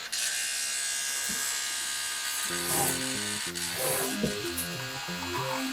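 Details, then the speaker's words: Pentium 200 MMX Windows 98SE retro PC: a high whir, then stepped buzzing tones jumping up and down as the floppy drive seeks loudly; reason unclear. "literally the floppy making all that noise"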